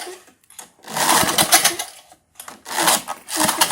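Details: 1978 Tecumseh LAV50 small engine, old, choke start setting: short recoil pulls each turning over against firm compression, but no firing stroke; timing off, likely a sheared flywheel key.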